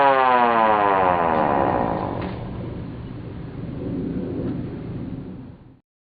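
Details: Sireno M1 siren first power test after repairing its non-working motor: wailing tone climbs high, then slides down smoothly and dies away as the rotor coasts to a stop; siren running properly.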